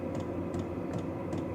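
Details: Vevor diesel heater fully warmed, outlet about 141–155°F with no diesel smell: steady blower rush with a light, even tick about two and a half times a second; the heater and its fuel pump are running normally.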